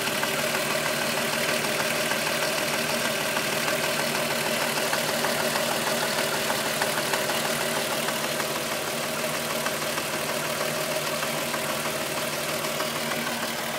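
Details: VW Golf VR6 2.9, 103,000 km, steady idle: a fast, fairly even rasping tick like a chain brushing its guide. The noise got louder after the owner replaced the upper hydraulic tensioner screw. Timing chain rub suspected, source unconfirmed.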